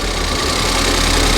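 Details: Ford Fiesta ST180 non-runner, first start: petrol engine idling steadily with an even low rumble; idle had run high from a broken inlet manifold leak, now settled and smooth with the leak covered by a finger.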